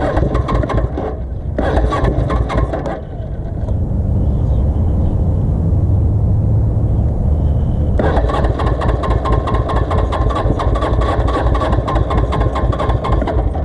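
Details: Custom Suzuki GS450 scrambler, choke halfway on: uneven, lumpy idle that sags, nearly stalls and picks back up raggedly; carbs starved of fuel, fuel line empty.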